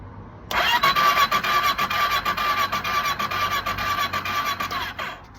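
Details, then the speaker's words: Kawasaki ER6 with cylinder problems and a suspected compression fault: the starter spins the engine fast and evenly, about two beats a second, with no firing. A compression check finds no compression in the number two cylinder. "nothing not a thing it means I've got no compression oh dear"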